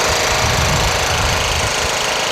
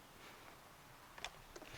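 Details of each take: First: Toro Wheel Horse 1238XL lawn tractor after carburetor replacement, gas tank cleaning and jumping the solenoid: small single engine runs steady with busy even patter, no misfire or surging; started right up, running normally. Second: Toro Wheel Horse 1238XL lawn tractor after carburetor replacement and gas tank cleaning, key on: two sharp clicks, no cranking; battery has power, owner then jumps the solenoid.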